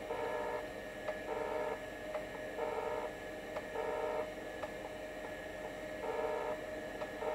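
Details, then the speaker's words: Seagate ST-277N 65MB 5.25" drive converted to ST-277R RLL with ST-251 board, low-level formatting: buzzy seek bursts with sharp ticks about once a second over spindle hum; healthy despite a few defect-table errors. "Still sounds really nice. A few errors here in the defect table is no problem at all."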